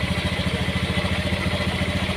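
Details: Honda Beat FI scooter that won't electric-start and has a dead speedometer but kick-starts; running with the battery disconnected to check regulator output: an even idle putt of about ten beats a second with no misses. Charging is good at 13–14 V, and the fault is the battery.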